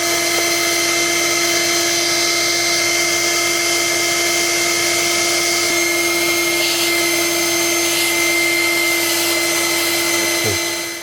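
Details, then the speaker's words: Workshop extractor drum with an air pressure relief valve on an HPLV system, inlet fully blocked; loud steady high whistling hiss as the valve draws air: pressure relief valve open with inlet blocked. "And that's not bad at all, considering I just blocked the inlet completely."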